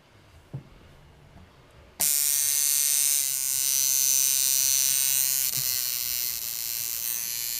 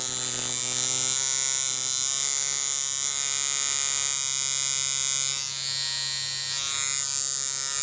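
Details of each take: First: Coil tattoo liner machine with contact screw set too wide (coin-gap style), giving too big a stroke: after a click, a harsh steady high buzz; misadjusted, hits like a shader/filling machine instead of lining. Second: Chinese coil tattoo machine, contact screw brought closest to the back screw for lining, steady even high-pitched buzz with clean stable tone; correctly tuned for lines, exact half-overlap figure eight.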